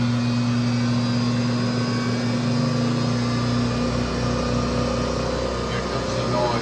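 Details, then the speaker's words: Two-piece Toyota Tacoma driveshaft spun on a test rig, dial indicator at the center bearing: rough hum with an uneven low knock building with speed, telescoping through the whole assembly; cause not yet found. "so you can hear the audible knocking noise is telescoping through this whole assembly"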